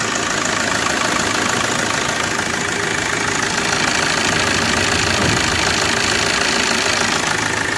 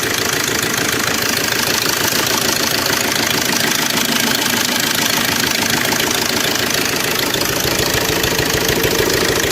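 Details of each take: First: Maruti Suzuki Swift Dzire DDiS diesel, about 21,000 km, after timing chain repair for tapping noise, stalling and lost pickup: quick, even diesel clatter at idle, steady without puffing or stumbling; normal idle after repair. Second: Suzuki Swift Dzire DDiS diesel at 21,271 km, idling: fast busy metallic rattle over engine clatter from a slack timing chain; car struggles, stalls and won't climb in reverse.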